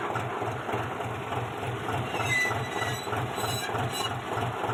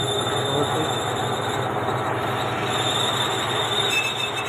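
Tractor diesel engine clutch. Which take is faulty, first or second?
second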